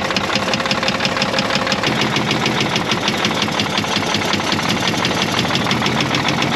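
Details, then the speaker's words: Caterpillar 977L with 10.5L CAT diesel idling: sharp, rapid, evenly spaced knock over the engine clatter while oil pressure holds in the green. Injector knock suspected; cylinder 6 later found dead when its injector was cracked. "oh yeah she's got some kind of knock there you go that sounds like a diesel knock to me"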